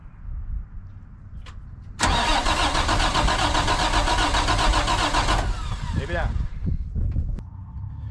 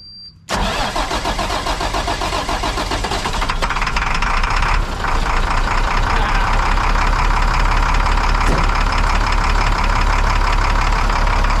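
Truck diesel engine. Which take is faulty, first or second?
first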